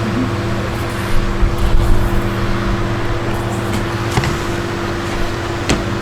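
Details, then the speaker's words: Webetop 155Wh portable power station inverter, AC output powering a big table fan on its high setting: steady low hum, even motor drone, no rattles or surging. Normal running. "Push this for AC output. You hear that fan go on? You hear it beep anyway?"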